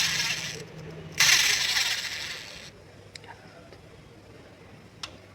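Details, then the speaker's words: Maruti 800 during a water pump replacement, old timing belt tensioner spun by hand: a rough, hissing whir that fades over a second or so; worn, dry tensioner bearing, being replaced with a new one. "Tensioner sound வரதுனாலயும் வாங்க இப்ப புது tensioner மாட்டி விட்டுரலாம்."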